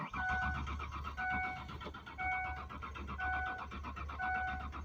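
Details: Mazda B4000 crank, no start: the engine turns over in slow, uneven bursts under a repeating chime but never fires; the owner wonders why the ignition is not recognizing key-on and giving spark. Cause not confirmed.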